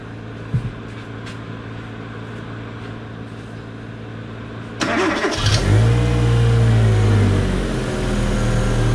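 Even steady idle, then a throttle blip that rises and settles back cleanly with no stumble or misfire; the engine runs smoothly.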